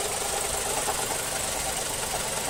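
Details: Mazda3 GT 2.0 running: a light, fast ticking knock over a hissy engine note from the engine compartment, keeping time with engine rpm. The exact part is unclear; the owner suspects the A/C compressor clutch.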